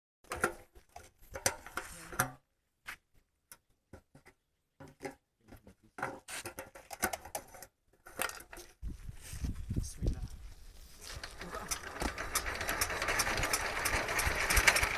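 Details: Small water pump engine starts and runs with an uneven, stumbling beat, misfiring with the crank lagging; cause suspected, not confirmed.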